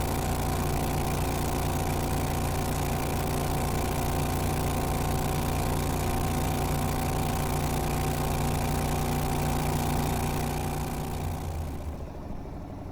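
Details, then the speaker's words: Renault with a 670cc Predator engine, CVT drive and the governor removed, on a newly fabricated exhaust with no muffler, driven at steady speed on held-back throttle: a very loud, deep, throbbing open-pipe bark easing off at the end. "now this is kind of a stupid question but has anybody noticed the car is Extremely Loud yeah I kind of figured it would be being it doesn't have a muffler of any kind"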